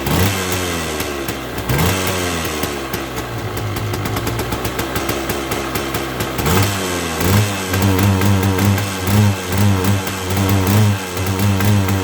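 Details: 1979 Yamaha DT175 oil-injected two-stroke enduro, a hard starter: throttle blips rise briefly, then fall back ragged and blubbery, never revving out cleanly; right crankcase seal and O-ring suspected, smoking more, with a clutch problem too.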